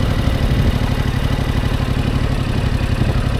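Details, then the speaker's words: Yamaha R7 motorcycle in first gear as clutch bites: steady low thrum with revs sagging, then a little throttle brings RPM back up. Engine speed dropping at clutch engagement. "so I feel the RPM's going down a little bit right there and I was going to add a little bit of throttle and you can hear the RPM's going up"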